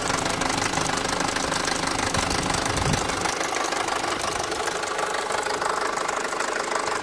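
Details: Mk5 Golf GTI at idle: steady idle with an uneven, rapid knocking of roughly two per second running through it; engine knocking at idle.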